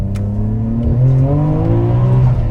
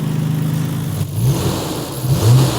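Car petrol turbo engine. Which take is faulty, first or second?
first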